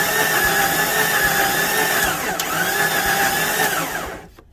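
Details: 1993 Jeep Cherokee engine that failed to start before: steady starter whine with even cranking, never fires; cranks but won't start, turns freely with oil pressure, internal destruction suspected.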